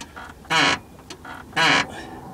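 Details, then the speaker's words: 2001 Jaguar X-Type rear end, after new anti-roll bar bushes: bouncing the body gives two long squawking creaks about a second apart; not the disconnected anti-roll bar bushes, silent with spring plate jacked, dry rear suspension joint suspected. "they said there was a creaking from underneath so if I bounce the car that sounds terrible"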